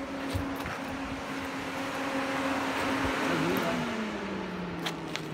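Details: Peugeot 308 overheating with no fan control from the ECM: engine running with the coolant temperature sensor unplugged, a steady radiator fan whir hums underneath, so the fan motor itself works and fan control is the problem.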